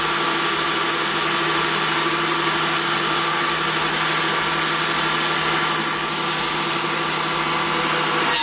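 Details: Craftex CX13HC planer, bearings not top notch, cutting: even, steady high whir with constant tone and no knocks or chatter through the pass; normal planer cut.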